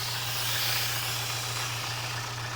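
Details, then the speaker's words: Kia Spectra idling with the oil filler cap off: steady airy hiss over an even idle hum, and the cap is strongly sucked in. The owner reports an intermittent whistle from the throttle side, absent now; cause unknown. "идет вот такой звук. И эту пробку ее как будто туда, эту пробку не как будто ее туда прям засасывает."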